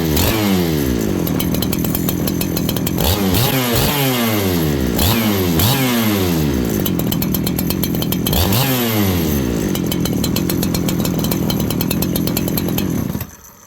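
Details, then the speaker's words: Farmertec 288 kit saw (two-stroke) after oil pump repair/replacement: revs up and drops back cleanly in repeated blips, crisp throttle response, steady tone between; normal healthy running. "okay friends I think we got this beat it oils now"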